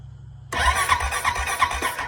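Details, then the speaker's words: Honda Rancher ATV that was submerged in a pond, with oil cleaned out of its filter, cranking with the air filter off: uneven chugging, about four a second, that never catches. Crank-no-start; owner suspects a failed fuel pump. "i'm trying to see if i can get it to work does it not sound like gas is going to it but yet the air filter is not in so"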